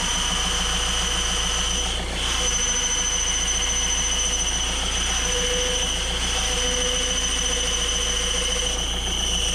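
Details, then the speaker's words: Peugeot/Citroën Berlingo 1.6 HDi diesel at idle, before clutch replacement: loud steady high-pitched squeal over the idle while the clutch pedal is held down, unusually louder when pressed than released; worn clutch release bearing. "Et ce qui est marrant, c'est que c'est l'inverse. D'habitude, c'est quand tu bray que tu entends plus la butée, mais là, c'est quand tu appuies."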